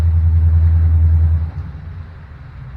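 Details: Deep, even V8 burble fading as a TBI 350 car pulls away: a healthy eight-cylinder reference, in contrast to the C10's 350, which has low compression on cylinders 1 and 2 (130 and 30 psi).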